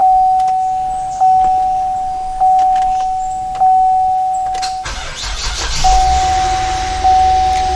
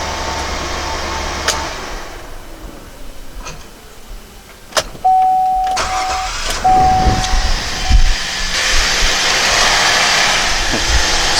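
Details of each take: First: 2007 GMC Acadia before starter replacement, starting sometimes needs up to 10 tries: door chime pinging, short crank with hesitant catch before the engine fires; delayed start from a failing starter. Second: 2007 GMC Acadia after starter replacement, battery about a year and a half old: starter spins briefly, engine fires promptly and settles into an even idle; starts much faster, normal.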